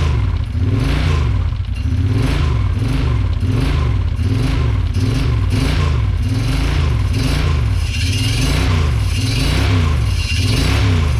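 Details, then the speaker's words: 2008 Kawasaki Brute Force 750 first start after engine rebuild, slightly warm: engine blips up and down with a metallic clatter on each rev. Loose plate rattling against the frame, to be fixed. "foreign that plate is gonna drive me crazy sorry guys but it runs we got a little heat in the motor we'll probably do that one or two more times and check the coolant and then uh I'm gonna fix that plate because I'm tired of hearing that noise"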